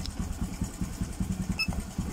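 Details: Early fuel-injected Honda Supra X 125 (about 2008) that struggles to idle: small single chugging slowly and unevenly, near stalling off the throttle; idle too low, dies unless throttle is held; suspected sensor fault, not confirmed.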